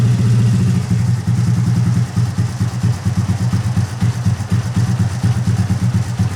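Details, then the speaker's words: Rebuilt Honda Grom engine after exhaust valve clearance retightened to cure ticking, rough tune so idle is unsettled until warm: deep thumping idle stumbles briefly, then settles into an even beat with the tick gone; normal idle. "all right sounds like that chicken went away it's actually running really good"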